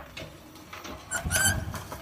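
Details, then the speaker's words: New electric tricycle, only days old: irregular high-pitched squeaks in bursts, loudest when starting off and turning, worse under heavy load, nearly absent driving straight, absent wheels lifted unloaded; wheel bolts retightened, wheels and half-shafts checked without finding the cause; left or right side unclear. "就是这个声音，起步和拐弯的时候声音特别大，然后用手晃动这个车身呢，也没有明显听到这种声音，这就非常奇怪了。"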